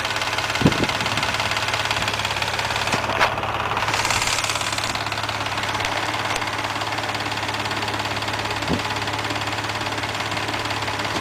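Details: Mazda MX-3 engine warmed to normal operating temperature, idling: busy metallic clatter, roughly three taps a second, above the engine note; owner asks what the noise and problem are, source unclear.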